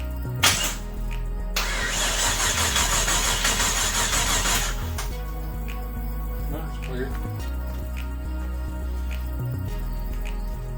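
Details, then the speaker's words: Chevrolet Blazer project first start on gasoline, battery on kill switch, expected to run rich: catches after brief crank and settles into steady even run with no knocks or misses; normal running after first start. "that's running i told you it'd be no effort to get this thing to start all it needs is fuel and it's gonna run"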